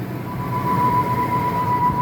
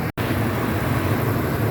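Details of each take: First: 2001 Ford F-250 5.4L two-valve V8 idling: loud steady high screech/yowl that comes intermittently at startup, from a worn idler pulley bearing (original, 270k miles), fixed by replacing the idler pulley. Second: 2001 Ford F-250 after replacing a screeching idler pulley (original had 270k miles): after about five minutes of idling, a steady low idle with soft, even injector ticking and no screech returning, so the repair is good.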